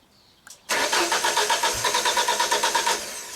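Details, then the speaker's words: 1995 Genie Z45 lift: starter cranks steadily about three turns a second but never catches after stalling when platform controls operated; LP/gas switch test lights stay lit, so that may not be the stall cause; fuel pump likely not powered. "Crank no start. Okay. So maybe that's not the cause of the stalling."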